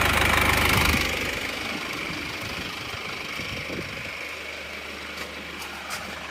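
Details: Isuzu Panther diesel with second-hand block, fully warm, temperature stable at 85°C: revs settle from a burst into steady even idle clatter, no odd knocks, very thin exhaust smoke; normal warm idle.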